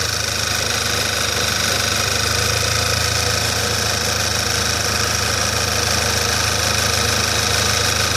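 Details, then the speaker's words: Skoda Octavia A5, engine idling, noise appearing about a minute after start: faint repeating rubbing scrape, roughly three a second, over even idle; source in engine bay unknown, performance unaffected. "Ну не знаю Был слышно не был такой звук как что-то трёт кык кык кык кык что-то в этом роде если есть У кого какие догадки Говорите пожалуйста"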